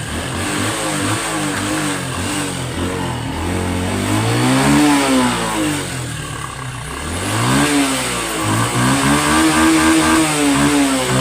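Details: Honda Wave 110i LED (c.2019) after replacing burnt, shorted spark plug cap: small single revs and settles cleanly several times, pitch rising and falling smoothly, no misfire or stumble. Previous intermittent start and throttle stall fixed; normal revving.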